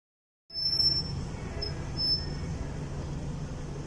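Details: Toyota Harrier SXU10 rolling at low speed: thin high-pitched squeal coming and going over road rumble; brake squeal, brake discs being replaced, cause not confirmed.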